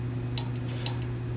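Two sharp little clicks half a second apart over a steady low hum; the gas valve solenoid pulling open as it's energized.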